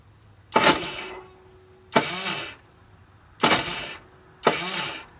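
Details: Vortex Mini Rok kart engine, hard starting: four short whirring bursts of about a second each and the engine never catches, because the starter bendix is not engaging the starter gear.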